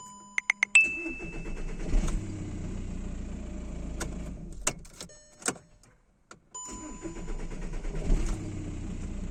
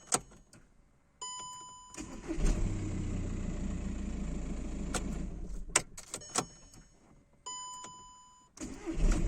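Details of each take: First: 2009 VW Jetta 1.9 TDI (BXE) diesel with P0341 camshaft position sensor fault: long starter cranking before it reluctantly catches. A new Delphi sensor (940 kΩ) didn't fix it; an OEM sensor (469 kΩ) cured the hard start. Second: 2009 VW Jetta 1.9 TDI (BXE) had a hard start and code P0341. After fitting an OEM camshaft position sensor, since a new Delphi one kept the fault, it cranks briefly, catches at once and idles smoothly. Normal start.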